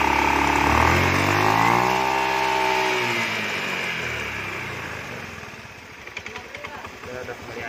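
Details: Honda Beat FI scooter that had hard starting and rough noise, after injector check, new spark plug and CVT roller housing and cleaning. It settles after a blip into a steady, even putter of about four beats a second. Normal idle.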